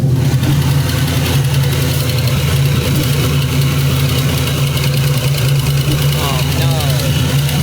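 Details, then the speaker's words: Carbureted car with new 2.5-inch exhaust, after vacuum leak repairs: deep idle with an uneven, lumpy, wavering beat; rough idle, owner suspects another leak somewhere, though throttle response on dry revving is much better. "But you can hear how it's idling. I think we have a leak again somewhere. It could be something simple"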